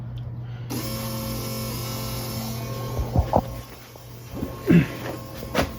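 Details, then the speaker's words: Porsche 914 stock fuel-injection fuel pump, run on carbs via a bypass regulator, relocated under the car in soundproofing wrap and powered from a battery: a steady low electric hum with faint whine, normal and not too loud. "That's a little bit of noise, but that's to be expected. It's not too loud, I don't think,"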